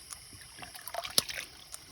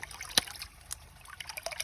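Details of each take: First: what you're looking for is consistent clicks you get that consistent clicking you're going to hear that over and over and over again that's the water that's going to drive up to your tank Second: Hydraulic ram pump restarted after shutting off overnight; the line is still spitting air, an irregular water trickle broken by sharp spitting bursts about every 1.5 seconds, as air purges from the pump line.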